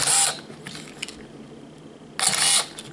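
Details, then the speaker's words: Canon EOS Rebel S 35mm film camera body with fully charged battery; two short, crisp high-pitched whirring bursts seconds apart as the motor advances film, spinning briskly and strongly: normal film advance motor, camera working well. "a battery when it is good but super good from its charge that is at maximum then later you identify it in the sound like the motor hums How the camera performs"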